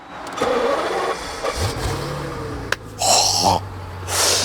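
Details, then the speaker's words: BMW Alpina B12 6.0 (E38, naturally aspirated 6-litre V12, 430 hp, off the road 13+ years, LPG-converted, unsure if on petrol or LPG): short starter crank, engine catches quickly into smooth even idle; secondary air pumps rattle up front; normal start. "that starter sound starts up really really smooth I don't know if it's running on petrol or LPG now"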